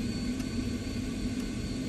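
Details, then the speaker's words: Vaillant ecoTEC boiler rebuilt after burst flow and return hoses flooded it and threw fault codes, with a new PCB and electrodes fitted: the fan hums steadily with no ignition click or burner roar; the fan runs continuously without lighting. "and as you can see on this not really a lot going on so it's it's just sitting there the Fan's just running the whole time"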